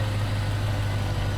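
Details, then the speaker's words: Land Rover Discovery 1 V8 with immobiliser and alarm bypassed, first start after a year unused, heard near the exhaust: deep even idle with steady low burble, no misses or knocks; running smoothly though a backfire noted earlier. "This is smooth. Running so smooth."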